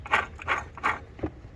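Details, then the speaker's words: Ford 4.6L/5.4L V8 (Expedition/Mustang) belt tensioner pulley spun by hand with belt removed; dry gritty rasp in short bursts about every third of a second, pulley has play; tensioner bearing worn out, needs replacing. "you can see the play in it you can hear it that thing is shot"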